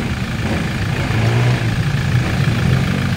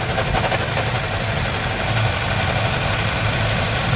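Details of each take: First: 2020 Toyota Innova 2.8 diesel idling after a failed front alternator bearing was replaced: a low, steady rumble with no knocks or rattles, now quiet where it was very noisy with scraping before. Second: 2020 Toyota Innova 2.8 diesel (1GD) at idle: steady idle with a rough, gravelly rumble underneath that tracks the engine; diagnosed as a worn alternator bearing, to be confirmed with a stethoscope.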